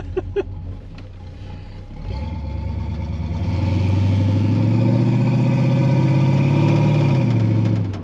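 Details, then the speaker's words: 1978 Pontiac Formula Firebird 350 V8 driving uphill after upgrade to four-barrel carburetor, headers and full exhaust, on two-barrel primaries: strong smooth pull, clean deep exhaust note, no misfire, better uphill than before downhill. Normal acceleration. "oh it sounds good that's what this car should sound like it's better uphill than it was downhill before"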